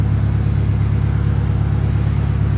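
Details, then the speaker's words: Subaru Forester with muffler removed, idling: loud, deep, even burble with steady pulses and nothing sharp on top; engine idles cleanly. "hey that sounds pretty good I can actually hear it running now"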